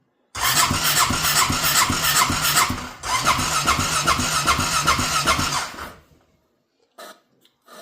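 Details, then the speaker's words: Honda Rincon 650 ATV after rebuild with new cam, fuel low on reserve, straight pipes: two ragged, sputtering bursts that die out, only firing when primed with fuel, backfiring; hard starting, cause not confirmed. "Cuz when you give her a dash, it fires up."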